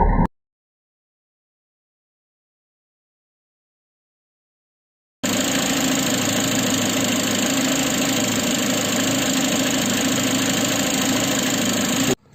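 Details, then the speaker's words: Citroën C4 at idle with the timing cover open: a fast, even, ugly ticking rattle, about three per second. The tensioner oscillated widely, worse when cold; belt recently replaced. Timing belt tensioner noise. "comme vous pouvez le voir quand on l'a mis près du galet tendeur la partie micro ça écoute beaucoup plus et il y a un bruit très moche"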